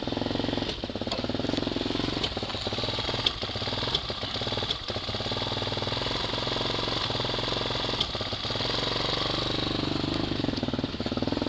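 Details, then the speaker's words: Hawk 250 motorcycle, cold start at about 60 degrees, idle turned down on half choke: low idle stumbles with uneven beats and occasional coughs, misses a little until warm, then nearly goes away; intermittent misfire when cold. "you got to hear that coughed that I was talking about where it just misses a little bit and as it warms up that'll go away almost completely"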